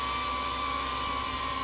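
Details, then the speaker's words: DJI Avata 2 drone in flight with new Master Airscrew propellers, slightly windy: thin steady high whistle over rotor hiss at constant pitch; pilot unsure, thought something might rub; propeller whistle, nothing clearly rubbing. "I hear the screeching sound though, like the whistling. I'm not sure what that is. Like it sounds like something's rubbing a little bit."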